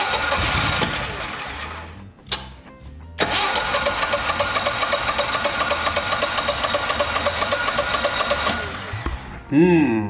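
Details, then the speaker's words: Generac XG10000E generator after sitting about two years with bad gas, following carburetor rebuild, new fuel and blown-out fuel filter: steady cranking with brief catches but never fires; better than before the rebuild. "well she's showing some life but we're not quite there that's definitely better than what it was doing prior to uh doing the carburetor rebuild but man i just can't get it to fire"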